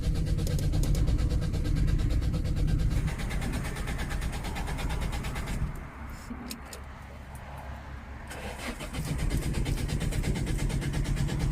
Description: i getting into the car and trying to start it but it won't start.